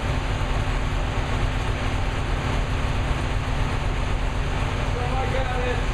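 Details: New V8 with a Lunati 60140 solid cam, warm, after hot solid-lifter lash adjustment from about .010 to .014 intake/exhaust: steady, even low idle rumble with only faint valvetrain ticking. Lifters sound properly adjusted.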